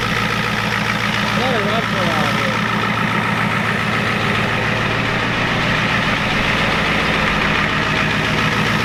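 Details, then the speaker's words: 1993 Ford F-250 7.3 IDI diesel, injection pump turned up, air purged, warm: steady, even idle clatter with a firm low rumble, no misses or knocks; running healthy. "Running nice now, guys."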